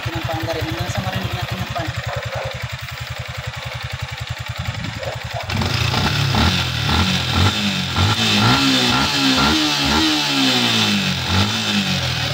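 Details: Yamaha Sniper 155 after fitting an SCK big radiator: even idle thumping about twice a second, then repeated throttle blips rising and dropping cleanly; engine sounds healthy.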